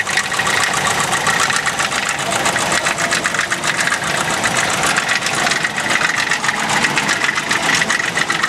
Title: RED ford knocking noise